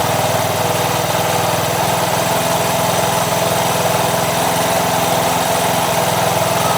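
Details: Honda Wave 100 single-cylinder motorcycle after new C6HS spark plug and carburettor cleaning, idle raised slightly: even, steady putter, running smoothly; faint tok-tok is the three clutch damper rubbers.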